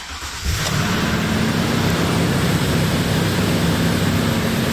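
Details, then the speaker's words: 2007 Toyota Tundra 5.7 V8 at 197,330 miles, P2447 limp mode, codes erased: cold start into a high, fast idle near 1500 rpm with a steady droning whine. The secondary air injection pumps run normally at startup. "I hear the pumps [Music] running that might be the belt but I heard definitely the pump's running on the startup"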